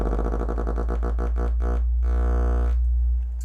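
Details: Miller & Kreisel MX-105 MkII subwoofer plate amp, distorting above low volume: test tone near 58–60 Hz at clipping pulses in a fast wobble, beating against supply ripple; both main filter capacitors bad, board fully recapped.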